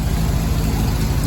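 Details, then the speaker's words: Willys CJ3B with replacement F-head engine, cold, just started after cleaning the carburetor needle and seat and roughly setting timing: low, smooth, even idle with no knocks or misses; normal idle. "okay went through and kind of set the timing and actually it fired right up"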